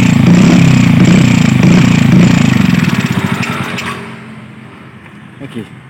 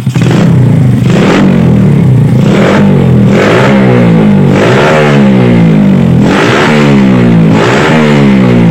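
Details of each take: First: Yamaha Vega R single-cylinder, hot engine: pulses then slows, stumbles and dies instead of taking throttle; runs normally when cold; owner suspects ignition (coil, CDI, pulser) or carburetor. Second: Yamaha Vega R, engine hot: blips cleanly about every second and a half and drops back to a steady idle; pulls freely, carburetor suspected for the hot-engine fault.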